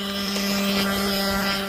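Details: Nitro RC engine with idle set too high: steady high-pitched buzzing drone with no drop to a low idle, sounding odd.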